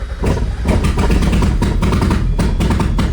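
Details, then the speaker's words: Mazda Miata with BP4W engine swap, first start on new fuel after tweaking cam position sensor: stumbles and surges unevenly, barely holding idle, very rough but has compression; rough running. "Okay, it's running really rough. But it means it has compression because it's holding, it's like trying to run idle."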